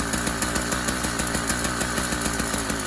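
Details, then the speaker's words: Newly installed YD100 two-stroke bicycle engine on a Kent Bayside Cruiser, first minute of running on a cold day on full choke: fast, buzzy putter with steady, even pulses, no misses; normal cold running. "fired right up made the full choking at the beginning because it is a cold day here not that you can tell that from the video"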